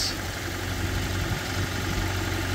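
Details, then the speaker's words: Barn-find Proton, likely a Saga, started on a jump pack: steady, even low idle with no misses or knocks, settling into a healthy tickover. "then miraculously the car started uh with that jump pack on"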